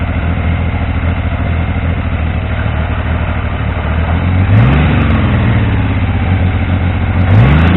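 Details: Triumph T150V triple just rebuilt (head and cylinders off to stop oil leaks), started second kick: slightly uneven low burble idle, picks up cleanly on two throttle blips, no knocking; normal running.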